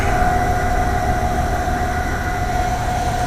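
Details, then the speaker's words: Rooftop AAON 5-ton HVAC unit whose fan motor gives a steady low rumble with a constant high whine and an uneven wobble. Bearings are suspected to be going out, and the fan is visibly wobbling. "the fan motor cuz I stopped it and Marie started it and I think the bearings are going out that thing's wobbling a little bit too much"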